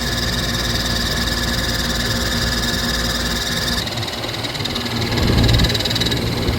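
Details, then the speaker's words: Outdoor AC condenser unit on a roughly 110°F day, fan motor replaced twice before, possibly with the wrong motor: steady rough buzzy drone that changes when pressed on; the condenser fan motor is failing. "Notice how the sound differentiates when you press on it. That means that it's probably this fan motor, because that's the only thing connected to this actual outside unit."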